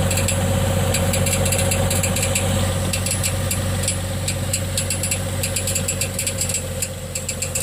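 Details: 2006 Trailblazer on ramps, idling, recorded from underneath with inspection panels off: light metallic ticking about three a second over steady idle hum, marble-in-a-tin-can noise on take-off that triggers knock sensor code; marks seen on flywheel, starter pinion striking flywheel.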